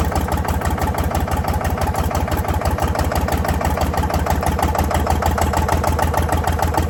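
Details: Previously seized Ford 4000 diesel tractor running on starting fluid: rough idle with a hard, even knock about three times a second over low rumble; owner suspects throttle and air, possible diesel leak, knock cause unknown.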